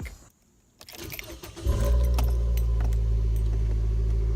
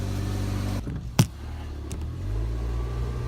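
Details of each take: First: 2013 Nissan Versa before repair, with the exhaust pipe snapped at the flange: the engine catches and settles into a loud, deep, raspy rumble far louder than stock, so exhaust is leaking from the broken pipe. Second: 2013 Nissan Versa after a temporary repair of the exhaust snapped at the flange, using a pipe adapter sleeve and tightened clamps: a low, soft idle rumble with one brief clunk and no raspy leak, so the exhaust is sealed and much quieter.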